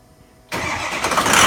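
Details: 2003 Ford F-250 6.0L Powerstroke diesel at startup: silence, then cranking catches into an uneven, lumpy idle that stumbles instead of settling; rough running or misfire on startup.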